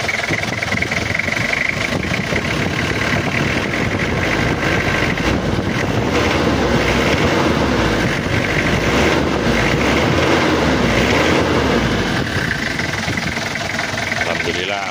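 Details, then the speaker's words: Toyota Kijang diesel at idle, timing not yet fully set: even, soft, steady clatter with no harsh knock or stumble; runs smoothly. "Alhamdulillah adem suaranya juga kelentingnya empuk enggak terlalu keras juga enggak terlalu"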